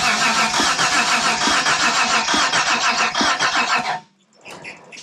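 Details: 1992 Dodge Stealth R/T twin turbo, cranked on a borrowed battery with no fuel: fast even starter churn about three and a half beats a second, no catching, then stops; engine turns over freely, normal cranking.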